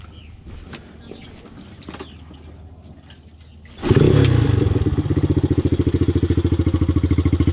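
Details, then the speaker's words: 1983 Honda ATC 200X three-wheeler bought at auction, with a flat tire, being ridden around town: the engine revs, then settles into an uneven clatter about three beats a second; sounds like it's falling apart, cause unknown. "all right let's go mob this thing around town it sounds like the thing's falling apart oh this thing's sketchy"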